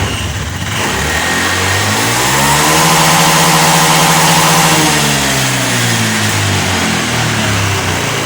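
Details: Honda Beat eSP FI, after a replacement fixed low-throttle stutter: revved to wide-open throttle then released, revs fall with uneven stumble; MIL blinks 8 times as RPM drops, TPS sensor checked normal, cause unknown.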